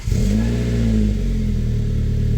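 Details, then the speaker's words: Saab from the 9000 era starting: engine catches at once and settles into a steady, even idle with no knocks or misses; runs well, though belts and idler pulley are noisy. "and it runs really good."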